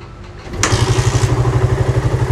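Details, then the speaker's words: Suzuki Satria FU 150 fitted with a Yamaha RX-King carburetor, kick-started because the electric start was too weak: engine catches on a single kick and settles into a steady, even low idle thump with no misses; easy start, stable idle. "dan untuk hidupnya juga sangat gampang yes coba kita geber RPM saya untuk langsam juga stabil"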